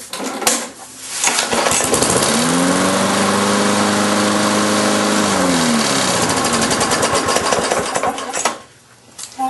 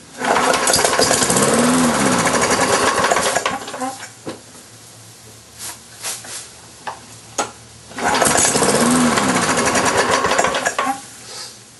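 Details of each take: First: Briggs & Stratton engine on a Lawn-Boy mower after reconnecting the kill wire that had come off the coil: starts, runs evenly, then cuts out cleanly at shutoff; kill switch now works. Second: Briggs & Stratton engine on a Lawn-Boy mower deck, sat unused since about March, 89-octane fuel with Marvel Mystery Oil: repeated pull-cord cranking chatter that never catches; hard starting, owner suspects the carburetor needs a new diaphragm.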